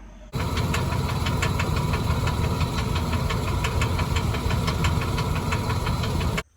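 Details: Toyota V6 (Bank 1 lean code) knocking: a steady sharp knock about five times a second over a deep, uneven rumble, from valve cover tube seals leaking oil into cylinders 2 and 3 and fouling the plugs so they misfire.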